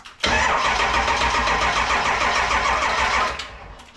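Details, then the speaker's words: 7.3 Powerstroke diesel in a 1951 Ford shoebox, cold Minnesota weather, IDM just plugged back in; slow, labored cranking at three to four turns a second with smoke but no start. Cranks well, then slows too much to fire. "smoke not cranking fast enough"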